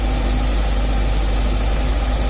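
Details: 1998 Mazda Protege 1.5L (also called a '97) with an idle surge and stuck MAF voltage: steady high idle that never settles, about 1400–1800 rpm in gear; the throttle blade appears to have been adjusted so it doesn't fully close.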